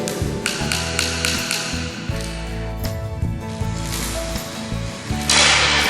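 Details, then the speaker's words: Tapping rod taps on a marked floor tile during a home defect inspection, several giving a dull, empty, hollow knock instead of a sharp high-pitched click; tile debonded, void beneath. "So yang saya tanda ni, bunyi dia kosong, lopong, ada ruang rongga."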